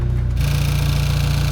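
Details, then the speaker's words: VW MK6 GTI first start after intake manifold replacement for a P2015 code: it starts and runs, but a fast, even light ticking rides over the idle and keeps time with the engine; the source is undetermined. "there's some tick going on well at least it runs well it starts it runs"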